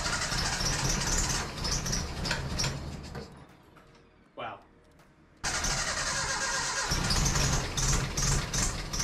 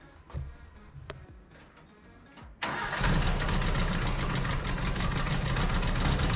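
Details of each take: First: 1968 Datsun 2000 Roadster, first startup after troubleshooting and cleaning, given a little gas: cranks, catches briefly and fades, then fires again and runs with an uneven, stumbling beat; rough running but much improved. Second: 1968 Datsun 2000 Roadster first startup after troubleshooting, cleaning and distributor timing: a few clicks, then fires at once and holds a steady, even idle with no knocking or ticking; normal, healthy idle.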